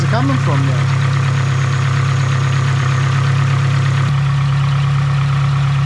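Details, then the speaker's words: Nissan SR20DET (S13/180SX/240SX) after intake plenum gasket change, at idle: thin, high whistle riding faintly over a steady idle, fading in and out; suspected vacuum leak at the throttle body gasket. "so i'm here a whistling sound down here [Music] i think it's a throttle body i think it's the gasket on the throttle body i'm gonna take the photo body off"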